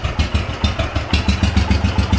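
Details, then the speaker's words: Wheel Horse garden tractor big-block Kohler single, electric fuel pump primed, in neutral on choke: loud thumping beat about six pulses a second, slightly uneven idling cold; smooths with a little gas, otherwise sound. "And there's how it starts, cold."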